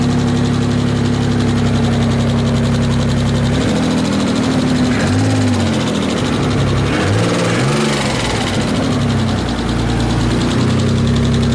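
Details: Mitsubishi 3000GT VR4, engine sat over a year, first start: quick light ticking over a rough idle and blips from dry hydraulic lash adjusters; the tick went away once oil reached the head.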